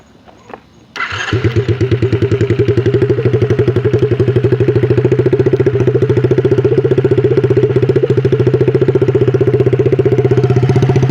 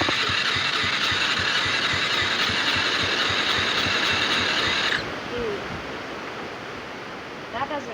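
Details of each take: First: Single-cylinder quad (ATV) after diagnosis of an internal engine problem, test run to check for cam rubbing using nail polish marks: fires up right away and settles into steady, even putter with no scraping or rubbing; runs healthy. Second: ATV quad engine that was hard to start, now running briefly on a shot of starting fluid: a harsh, rapid clatter at nearly four beats a second for about five seconds before it dies. Internal engine problem; carburetor and spark (timing checked) ruled out.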